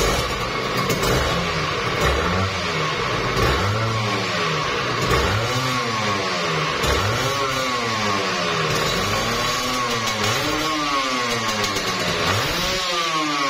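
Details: Kawasaki Ninja RR two-stroke, overbored, block and piston check: crisp buzz rising and falling smoothly with throttle blips, revving freely, no knocks or rattles from the bottom end; normal running and revving.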